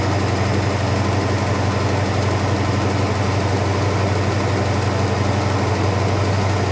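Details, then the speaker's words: 1971 Dodge Sweptline big-block after fixing a non-venting fuel tank and a misadjusted float flooding the crankcase with fuel: heavy, deep idle, slightly uneven, cleaning up after a flooded start; blue oily smoke from passenger bank. "Sounds like she's cleaning up a little bit."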